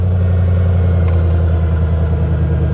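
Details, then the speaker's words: 2017 BMW M240i at a salvage auction, jump-started after probably sitting a long time and rattling briefly at first: a deep, even idle with no rattle or ticking sounds healthy. "it sounds healthy guys it sounds real healthy"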